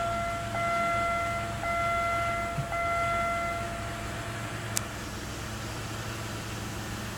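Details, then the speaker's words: 1999 Pontiac Grand Am GT, 3.4 L V6, which had a stuttering rough idle before, just after replacing the fuel pressure regulator: a low, even hum with no stumbles or misses. Running smoother, a normal idle. "sure seem to be running a lot smoother alrighty so that might have fixed my rough idle problem"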